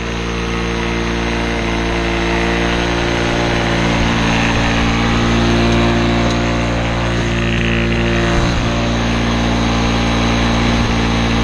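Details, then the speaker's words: Old Lawn-Boy two-stroke self-propelled mower on mixed gas, air filter missing, mowing short grass: a ragged buzz dipping and recovering every few seconds; running rough and hunting under load. "to take it elsewhere because it is running rough and I don't want it fling all kinds of crap at my house"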